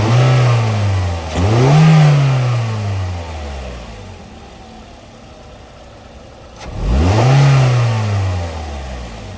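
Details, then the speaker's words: 2009 Toyota Corolla LE, 156,000 miles, new serpentine belt and oil: idle then two clean throttle blips, revs climb smoothly and fall back to steady idle with no knock, miss or rattle; healthy engine. "I'm going to stand here and let you hear it at idle here. All right. And I'll um rev it up for you to the best of my ability here."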